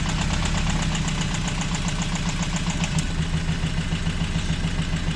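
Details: Toyota 22RE pickup after a tune-up (plugs, rotor, distributor cap, air filter, oil) and a new battery: uneven, lumpy idle of about three pulses a second with stumbles, still shaking like before; misfire suspected in cylinder one.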